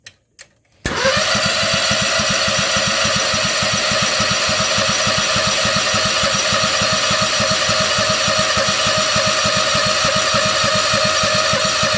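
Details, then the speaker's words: Predator 670 22 hp engine in a swapped Bobcat, not run in about four years, full choke: steady starter cranking at about three and a half beats a second with no firing; cranks but won't start, owner suspects clogged fuel line. "I haven't ran this engine in like four years I bought it for a stump grinder it turns over though"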